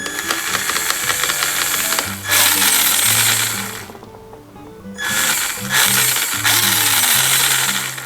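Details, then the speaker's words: Old original Traxxas 2WD brushed Slash RC truck, rear end rebuilt with OE parts, tested on new 3000 mAh NiMH battery: harsh gritty grinding in bursts on throttle; cause unknown, needs teardown of spur, pinion and motor. "as you can here uh she's still grinding she is still making noise why is it making noise I have no idea"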